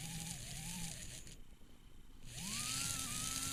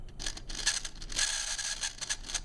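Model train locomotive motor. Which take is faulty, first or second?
second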